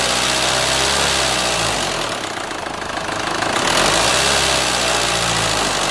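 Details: Renault Scénic 2 1.9 dCi, 2004, diesel at idle: abnormal internal engine knock, a sharp fairly regular ticking near four beats a second; engine removal, inspection and engine replacement to follow.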